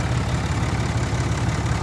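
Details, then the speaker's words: Diesel truck at an auction lot, with check engine, ABS, brake and airbag lights on, alternator charging, likely needing batteries: a steady low diesel clatter at an even idle beat with no misses or knocks. It runs well. "it runs well it really does purring like a kitten man let's take a walk see how it sounds that exhaust is definitely breathing"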